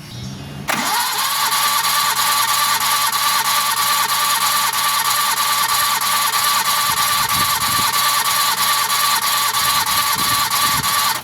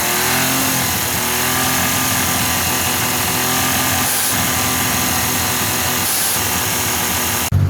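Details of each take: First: Suzuki DF51V turbo kei minivan, compression testing, dry compression on cylinder 1 earlier 75 psi leaking down (spec about 120): fast, even cranking about three beats a second that never catches; intake valves not sealing. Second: Suzuki DF51V turbo kei minivan, fully warm, after valve adjustment: busy engine with light, even clicky-clacky valve ticking, previously almost too smooth; valve train noise now normal and healthy.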